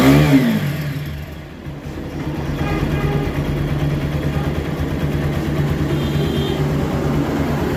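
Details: TVS Apache RTR 4V 160 single-cylinder, after timing replacement to fix an engine sound problem: starts and settles into a smooth, even run, revs rising cleanly with no ticking or top-end rattle.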